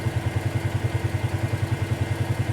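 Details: 2018 Polaris Sportsman ACE 570 after full top-end rebuild (valves, stem seals), warm idle near 201°F with cooling fan on: even low single-cylinder thump about eight times a second, no knock or rattle; normal healthy idle.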